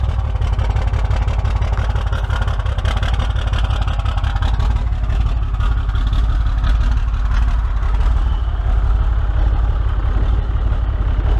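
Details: 6.7 Cummins diesel, claimed bad injector: heavy clatter at idle with slow, uneven rise and fall in the beat; rough loping idle, cause not yet diagnosed, scan tool pending.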